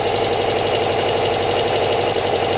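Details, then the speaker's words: Kawasaki ZL600 four-cylinder motorcycle with new coils, tuned carbs and valves done, firing order just corrected; not even warm, coolant hoses unattached, busy even idle with steady pulse and no missing beats: normal cold idle. "man oh my god guys it sounds brutal don't worry about the um the coolant hoses aren't attached it sounds oh my god"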